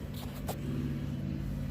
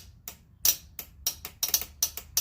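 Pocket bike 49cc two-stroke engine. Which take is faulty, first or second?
second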